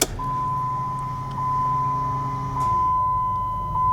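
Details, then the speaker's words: Dodge SRT-4 after Walbro 255 fuel pump and new fuel canister install, key on: steady low electric hum for a couple of seconds under a chime, then stops; fuel pump priming normally. "hear that fuel pump priming. That's a good sign."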